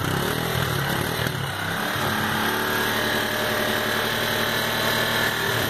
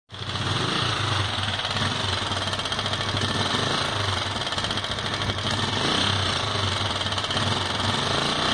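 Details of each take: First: Sundown MAX 125 single-cylinder motorcycle after a top-end teardown to cure a loud engine noise: revs up and settles back smoothly, with no valve ticking over the exhaust note; normal running. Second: Sundown MAX 125 motorcycle at idle: loud, fast metallic clatter and hiss above the exhaust beat; excessive top-end noise, cause not confirmed before disassembling the upper engine.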